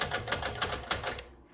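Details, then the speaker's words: 1961 Smith Corona Sterling manual typewriter: carriage clatters in short sharp clicks and halts every couple of places instead of running to the single tab stop; tabulator not working properly. "it looks like the tab is not working very well because like i said there's only one tab key back there but it seems to be stopping every couple of"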